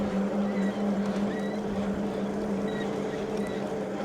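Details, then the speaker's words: Hovsco HovGTRS 750W 48V rear hub-motor fat-tire eBike in low pedal assist levels (around 9 mph), no front motor: thin steady whine over pedalling, most prevalent at lower speeds. "So, the noise seems very prevalent in lower speeds, but it's not the there's no front motor, so it's just making a weird little wine."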